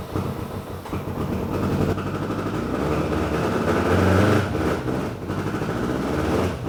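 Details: BMW K100 cafe racer project after flushing bad old fuel and refilling with fresh: catches and settles into even, steady running with no knock or tick; sounds healthy, though smoking noted later.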